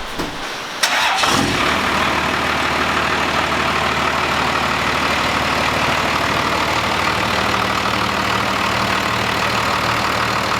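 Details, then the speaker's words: First-gen 12-valve Cummins diesel truck just after installing a pusher boost system with new couplings: brief crank, quick fire, then a steady, even diesel clatter at idle with no misses or knocks; runs great. "he finished up that pusher system on the first gen, sorry, and sounds good. It definitely, it just sounds good. The truck always sounds good, but it just, it runs great."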